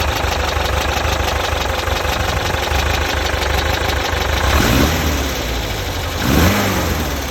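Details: Knocking noise at idle from a Type 4 engine: rough idle with a loose, uneven knock riding over the engine and two short throttle blips; source of the knock unknown.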